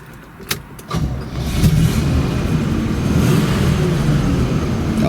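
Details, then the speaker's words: 1973 Pontiac Grand Am, 400 V8, 4-speed: cranks about a second, catches cleanly and settles into a deep, even V8 rumble on choke; a healthy cold start. "nice there's that uh pontiac 400 fire into life"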